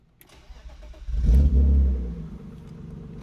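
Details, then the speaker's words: BMW E36 M3 with clogged factory muffler removed (muffler delete): short crank, booming catch, then deep heavy loud unmuffled idle rumble; clogged muffler had been restricting the engine. "It's definitely a lot louder. Let's pull it out. Yep. Mufflers do a big difference."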